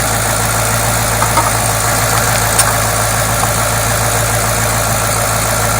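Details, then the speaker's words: 2008 Mustang GT V8 cold start after an oil change to fresh synthetic Pennzoil Platinum: a loud, steady idle with an even hum, no knocking or ticking; normal cold idle. "we're gonna do a back to back video so you can do a comparison of what it sounds like with dirty six thousand mile oil which is probably crap oil with a crappy filter versus some nice synthetic Pennzoil Platinum"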